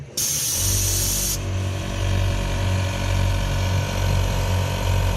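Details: ARB twin air compressor with air tank, installed in the rear of a 200 series Landcruiser: brief hiss of released air, then a steady motor drone with an even pulsing hum. Compressor runs smoothly, normal operation, no leaks.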